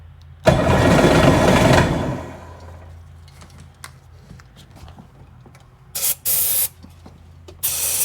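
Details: Sea-Doo personal watercraft (GTX/GSX) that would not run, cranked with choke after refitting fuel lines and turning the fuel on; a short burst of cranking dies away with no catch, then only scattered clicks; turns over but won't fire, cause unconfirmed.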